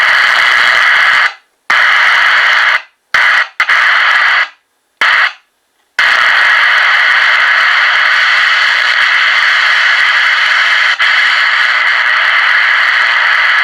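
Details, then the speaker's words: Realistic TRC-453 radio with very loud receive audio that the volume control cannot turn down. A full-volume static roar drops out abruptly as the mode switch is worked, and a bad solder ground on the mode switch is suspected as the cause. "so i'm thinking it's probably the motor switch soldering the soldering punch might be bad"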